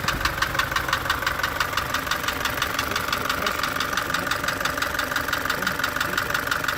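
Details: Isuzu light truck engine ticking constantly from startup: sharp, even ticks around three per second over a steady idle. A worn camshaft lobe striking the rocker or tappets is suspected, not confirmed.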